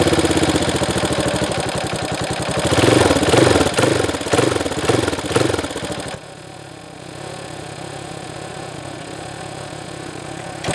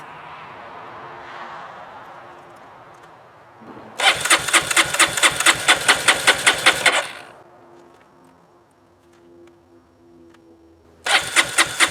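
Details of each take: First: Honda CRF230F carbureted dirt bike, sat a year with pump gas, no stabilizer, choke on, started after first failed crank: fires and revs in even pops, then settles into a steady idle putter; starts and runs cleanly. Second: Honda CRF230F, carbureted, sat a year on untreated pump gas with a lithium-ion battery, through extreme heat and cold: two spells of quick, even cranking, about three then two seconds, without catching; won't start on first try.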